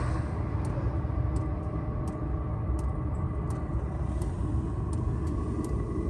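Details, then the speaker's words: Chinese diesel heater, about 2000 hours, after service with new motor bearings and a new exhaust muffler, recorded outside, running on low setting: steady soft low hum with a faint light tick about every 0.7 s; normal quiet running. "Outside, I've got a little clip of the audio here. So this is it currently running on low."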